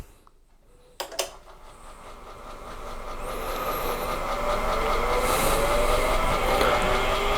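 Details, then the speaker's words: AT&T 3B2/310 Unix computer (circa 1984), hard drive reattached, power-on test: click then smooth whine climbing steadily in pitch as platters spin up; healthy spin-up, boot not yet confirmed. "Sounds like a hard drive spinning up. Hope you all enjoy the noises."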